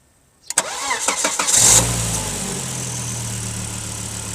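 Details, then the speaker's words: Volvo S80 turbo, first start after throttle body cleaning with battery disconnected; up to 10-15 s of unstable idle is possible while the throttle adapts. Short crank, catches at once, settles straight into steady even idle: normal start and idle. "At first launch, after disconnecting the battery possible unstable operation motor as the throttle is to adapt look for your position but this instability should not last more than 10-15 seconds then the motor should run smoothly"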